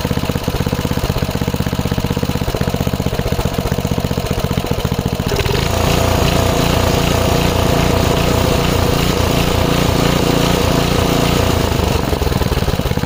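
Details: 5 HP Briggs & Stratton on an MTD rototiller after carb cleaning, started without priming: speed rises and falls rather than holding steady, a hunting surge pointing to a fuel mixture problem. Almost idles well off throttle.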